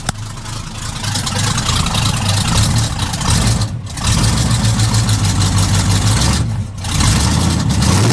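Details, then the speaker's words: V8 truck with new exhaust, fuel leak dripping on the exhaust: cranks, fires and settles into a deep even idle with a couple of brief revs; normal start and idle. "Yeah, that sounds pretty awesome. Let's give it one more. That is amazing."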